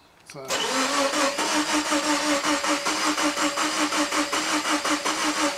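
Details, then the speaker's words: 2001 Subaru Impreza with the EJ20 engine: the starter turns the engine at an even beat, nearly three pulses a second, for five seconds without firing; cranks but won't start, and the starter is judged not the cause. "the engine's turning over oh is it yeah so that's not the stter that's not the stting by don't know what it just doesn't"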